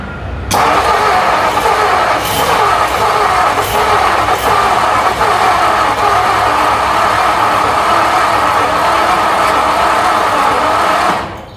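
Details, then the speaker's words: 1957 Ford Thunderbird Y-block off the road 35 years, cold: starter cranks steadily about eleven seconds without firing; accelerator pump squirting so fuel present, suspected old distributor cap, spark, or fouled plugs and wires. "Oh, come on, little guy. Still squirting, so it ain't a lack of fuel."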